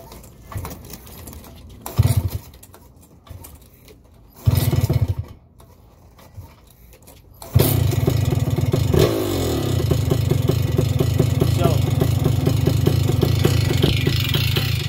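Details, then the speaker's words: Vittorazi Moster 185 paramotor two-stroke, ground started, low needle slightly too rich: several pulls to start, then lumpy, rough, shaking idle that stumbles; low-speed mixture too rich, needs leaning. "that's a sign that it's too rich on the low needle you need to lean it also you can see how it's idling pretty rough"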